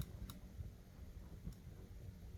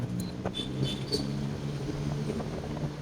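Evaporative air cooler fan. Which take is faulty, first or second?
first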